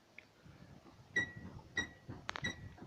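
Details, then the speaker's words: Kia Rio JB rear drum brakes: three short high-pitched squeaks as the brake pedal is released; shoes squeal, cured by adding anti-squeal brake lubricant. "вот так скрипят тормозные барабаны на Kia Rio"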